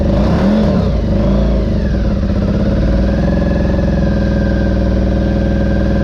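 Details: 2003 Honda RC51 SP2 V-twin, first start after repairing rodent-chewed wiring to the harness, cam sensor and throttle position sensor. It fires up and settles into a steady, even idle at about 1,000 rpm with no rattles, cam noise or big-end knock. Normal idle.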